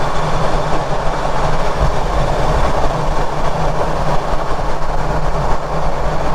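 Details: Ford Ranger Raptor at road speed, microphone mounted on rear diff near the prop shaft bearing while hunting a grinding noise; steady low road rumble, no grinding or whine rising with speed; normal rear differential and prop shaft bearing.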